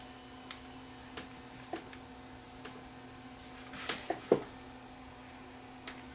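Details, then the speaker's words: USB cassette capture player running with no tape: steady amplifier hiss with a low electrical hum, faint motor tones and scattered clicks, showing amplifier noise and motor noise bleeding into the recording. "as you can see there is some noise just from the amplifiers in this thing even if there's no tape in it the amplifiers himself are lazy you can hear it hissing"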